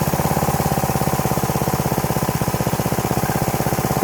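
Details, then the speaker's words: Troy-Bilt pressure washer, first start in about 4 years after fuel system cleaning, choke knocked off: quick even thumping single-cylinder beat, runs great and purrs with only a slight miss; normal running. "Runs great though, first time in 4 years. Listen to that thing purr. Only a slight miss."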